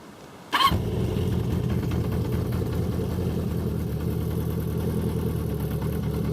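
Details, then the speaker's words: 1973 Honda CB350F after carb rebuild and 8-year storage, cold start in neutral with about 1 second of choke: fires almost instantly after a short crank, then a smooth, deep, even high idle with no misses. "only needs about 1 second of choke. She is ready to go. Right there is high idle."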